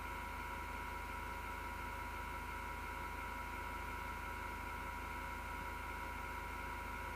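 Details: Six-year-old PC power supply fan grinding with terrible, felt vibration inside the chassis: constant whirring with several steady tones and a low buzz underneath; began mid-December 2015, once mistaken for a spinning CD drive; CPU fan never ground.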